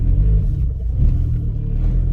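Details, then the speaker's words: Turbo VW Rabbit 2.5L after a new 3-inch stainless catless downpipe with a Vibrant bottle-type resonator, heard with the windows up: a deep, steady, loud idle rumble with no rasp, puffing or ticking. Normal exhaust note. "Windows are up. Yeah. Still pretty loud. 3-inch stainless catless downpipe"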